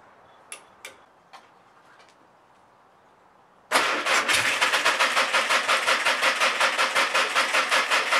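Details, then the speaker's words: Old air-cooled VW engine in a '59 ragtop, after new plug wires, new plugs, cleaned carburetor and valve adjustment: a few clicks, then it catches and runs a lumpy, pulsing idle on a dying battery; owner suspects it needs a new carburetor. "all right not too bad my battery's dying on me so that's all I could really show but uh I think I named I need a new carburetor but this thing can run"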